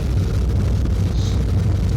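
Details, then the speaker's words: Miller MOC 80 oil furnace burner, first test fire after nozzle replacement and electrode cleaning: a deep, rough, uneven rumble. Excess oil probably left in the chamber from earlier failed start attempts is burning off, making it smoky. "I probably ran it a few too many times for test runs, and it probably has a little too much oil in there, so that's why we're getting so much smoke here."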